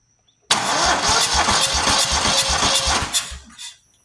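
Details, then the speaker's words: Buffalo Turbine debris blower, 27 hp V-twin: cranking at about two or three beats a second with a loud hiss from one side; owner suspects a leaking head gasket, compression check pending. "I don't know if you can tell which side it's coming from, but here you hear that's the head gasket side, I believe."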